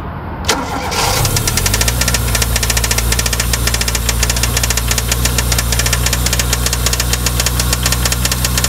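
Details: Toyota 4A-GE engine: catches and settles to idle with steady fast metallic tapping throughout; knock from inside engine, location and cause not pinned down.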